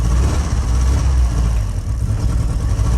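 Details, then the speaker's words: Audi TT bought unseen, owner doubts a fuel pump issue and suspects it is struggling for compression; heavy, uneven low rumble that wavers and stumbles instead of holding a steady beat; rough idle. "sounds like it's struggling for compression a bit"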